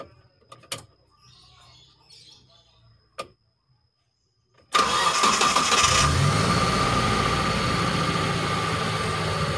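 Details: Injected T120SS after repair of fouling spark plugs, high fuel use and white exhaust smoke and an engine teardown, test start: quick crank catches and settles into a smooth, steady idle with no misfire or knocking; healthy.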